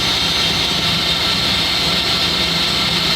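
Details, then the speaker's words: Lamborghini naturally aspirated 6.5-liter V12 after an oil change, cranked without firing to build oil pressure: a steady, even whirring turnover with no stumbles or knocks; oil pressure starts to rise, healthy cranking. "So I'm watching the oil pressure gauge here, and I want to crank it until I see oil pressure, and I'll probably crank it a little more to circulate the oil."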